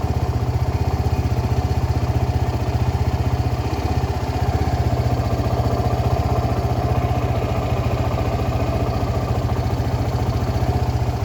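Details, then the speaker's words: Suzuki Gixxer SF 250 single-cylinder, just started after an engine oil flush and new oil and filter: steady even idle with a regular low thump, no ticks or clatter; healthy. "তো এখন দেখেন, আমি start দিয়ে দেখি, on হয়ে গেছে।"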